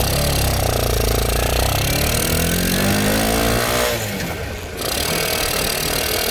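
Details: Icebear Fuerza motorcycle that won't start cold, owner suspects a too-lean mixture; after starter fluid is sprayed into the air filter it runs with single-cylinder thumping at a quick steady idle, a short blip, then an even beat; normal idle.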